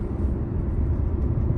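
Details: Eight-year-old petrol car idling with a lumpy, uneven low thump: intermittent cylinder 5 misfire found by scanner, from a worn ignition coil; rear coils and spark plugs to be replaced and throttle body cleaned.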